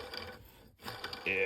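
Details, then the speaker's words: 1996 Ski-doo Formula SLS crankshaft main bearings turned by hand during bottom-end teardown: gritty, uneven rolling rasp with ringing tail; PTO-side bearings water-damaged and toast. "that one's toast oh that one's toast and that one's pretty that's that's bad too"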